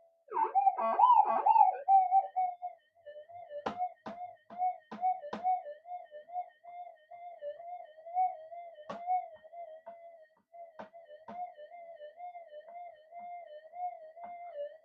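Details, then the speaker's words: Clone Minelab GDX-8000 metal detector in fixed tracking over a hot rock: steady warbling mid-pitch tone with sharp clicks that never fades, not tracking out as a normal detector would. Failure to ground balance on hot rock. "it doesn't it doesn't track all the way out when a normal detector would they would track it all the way out"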